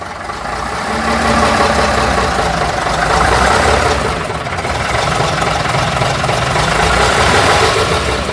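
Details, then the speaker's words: Routemaster bus RM1009's original AEC diesel just started via the toggle, idling; deep, throbbing, steady chug about three to four beats a second, swelling slightly with throttle, sounding very different from a Cummins; normal healthy idle. "Oh, it's an interesting throttle. Sounds, hey, there we go. Sounds very different from the Cummins engine."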